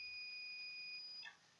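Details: Sapphire Nitro Radeon RX570 8GB graphics card repair, short persisting after bad capacitors were replaced: steady high-pitched multimeter tone for over a second, then a break; continuity beep, short to ground on one side of the fuse.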